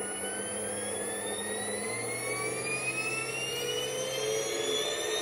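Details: Porsche 924S EV conversion drive motor, run after a missing fuse was fitted, spinning up toward about 3000 rpm; a clean whine climbs steadily with no rattle. Normal, healthy motor whine.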